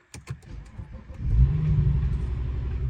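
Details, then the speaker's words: BMW 335i first start after new belt and tensioner pulley work: brief cranking, then catches and settles to low idle with no belt squeal; initially ran poorly with a bad miss that later cleared. "No squeaking sound. It's not running super well. Something's going on with it."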